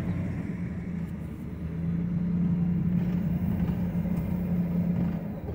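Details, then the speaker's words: 2006 Ford F-150 4x4 on the road after the fix, with vacuum now sent to the driver-side front hub. Smooth, even road hum; the driver-side front noise while driving and turning is gone. "¿Se dan cuenta? Ya no lo escucho, muchachos."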